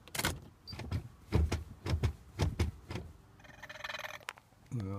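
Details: Mercedes R129 with an intermittent no-start, engine off, SRS light on: pressing the brake pedal brings a string of sharp clicks, then a brief whirr and a rising electric tone as the dash lights flicker on and off. It then starts once but later again won't.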